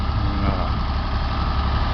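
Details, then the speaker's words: Ford 335 industrial tractor (decals read Ford 3600), freshly rebuilt engine, on a maintenance run with John Deere fuel additive: deep steady diesel idle, even smooth beat, no knocks or misses; normal idle. "sure you all can hear it it sounds real smooth low idle good"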